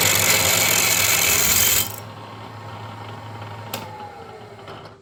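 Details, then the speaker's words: 1940s 14-1/2" South Bend lathe drilling a tool holder: shrill, steady high squeal as the drill rubs without cutting on hardened material, then drops away; a slightly smaller drill then went fine. "Still a no-go. I don't know if you could hear that squeal, but that's hitting some hard material."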